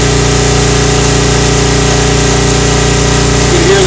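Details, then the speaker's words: A generator labouring as the upper and lower elements of a Whirlpool Gold double convection wall oven cycle on during the 6.5-minute preheat: steady low drone with a faint periodic beat under the heavy load. "generator laboring here and here we go"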